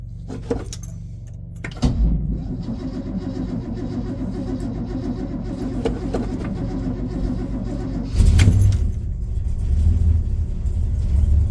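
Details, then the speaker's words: 1967 Suburban without choke: rough crank and catch, then low steady rumble that hangs fast and rises near the end; high idle sticking up. "I've been having an issue with the high idle sticking up a little bit. Definitely needs a little love there."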